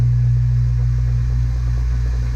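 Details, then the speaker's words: Replacement garbage disposal under a sink, just installed, switched on with water running: deep, even motor hum at one steady pitch, no rattles, grinding or catching; no leaks; normal running. "You have to turn the disposal on at the same time. There you go, it's running."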